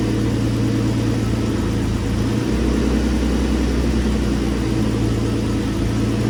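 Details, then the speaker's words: Infiniti G35, very high mileage, first start-up after twin-turbo install on a base map ECU tune: smooth steady idle, even low hum, slight tone shift, no ticks, knocks or misfires. Normal idle. "So far so good, running pretty smooth."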